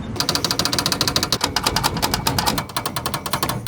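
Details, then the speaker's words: 1987 Suzuki Samurai tin top: rapid, sharp clattering chatter, roughly eight to ten hits a second, from loose door glass rattling in its frame. The inner window seals and outer door seals were worn out and were replaced with new weatherstripping. "so if you've ever been driving down a bumpy road or just any road you notice that your windows are rattling making a bunch of noise it might be time to replace your wind"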